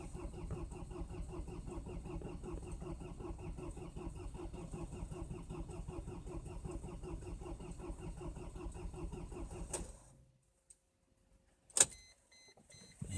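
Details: Cold start attempt at -20 °C, likely the Mercedes diesel that starts hard rather than the Land Cruiser HDJ80: slow, labored cranking for about ten seconds without catching; a reluctant cold start, cause unknown.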